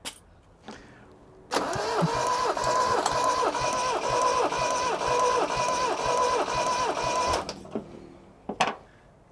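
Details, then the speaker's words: Toyota RA28 Celica Fastback four-cylinder, compression test while cranking on the starter: steady, even cranking with about two compression beats per second. Readings are 175, about 168 and 165 psi, only 10 psi spread across all four cylinders, higher than expected. Engine is healthy. "so realistically from 175 to 165 that's 10 across all four i'm super happy with that that is way higher than i expected"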